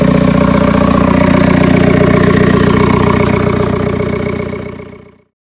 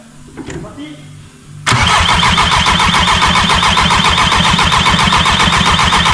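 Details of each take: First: 1.9 TDI diesel at first start after preparation work: steady, even clatter with no knock or miss; started instantly, no tapping once oil pressure built, then shuts off cleanly. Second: 1.9 TDI diesel first start during build: loud, even cranking at about four compression pulses a second, never catching; cranks but won't start because fuel feed and return lines were swapped, acting like no crankshaft signal.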